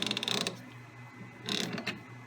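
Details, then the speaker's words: Lewis metal shaper cross feed, clutch housing bored to fix egg shape: gear train turned by hand each way gives short bursts of light, even ticking with no binding or clunk; smooth mesh. "I'm just gonna do this to simulate the gear train so from here right no effort at all changing directions"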